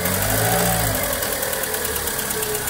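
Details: Volkswagen Saveiro that the customer says lacks power when pulling away: a brief rev dropping back to an uneven, lumpy, wavering idle.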